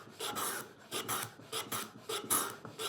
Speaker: when you planing this end grain you'll hear this very high-pitched vibration a harmonic set up and then I go to the oil I wipe it across the sole here like this and I immediately eliminate the vibration